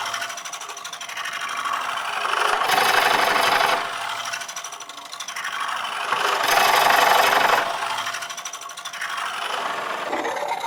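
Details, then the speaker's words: Woodcut Bowlsaver coring a bowl on the lathe: steady rasping cut swelling into a harsher scrape every few seconds as the coring blade drags on a loose shaving picked up over the end; shavings need frequent clearing. "could hear then that it had picked up a loose shaving over the end."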